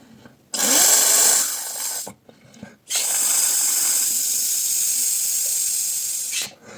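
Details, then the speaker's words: Vaporesso XROS Mini pod cartridge, blown out after flushing with water to fix leaking from the bottom: two clean, even hisses of air with no bubbling or gurgle; the cartridge is clear of water. "and you see the sound, if you can hear it, no gurgling, nothing there, that is, everything has been blown out."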